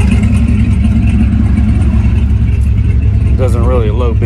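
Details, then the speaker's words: Engine idling with an open exhaust cutout after timing corrections were reduced to cut idle lope: low, steady burbling idle with even pulses and no stumbles, smoother than before with unchanged fuel consumption. "doesn't really make a difference in any of that changing it and you can hear that the idle is smoother it's nice choppy"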